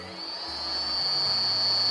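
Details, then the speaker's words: 2007-2021 Toyota Tundra cabin blower fan, key on, low then full blast: thin steady high whine holding pitch and growing louder at full speed; blower motor worn out, being replaced via the glove box. "so it's making like this whiny noise rear and then we'll turn it up so that's on the low setting let's go full blast"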